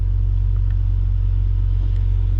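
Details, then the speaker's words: Salvage Ford Raptor, possibly the EcoBoost engine (unconfirmed), listed as run and drive: fired right up into a steady, deep, even idle with a low rumble and no knocks, ticks or misses; sounds healthy. "you can definitely tell what this thing she sounds good"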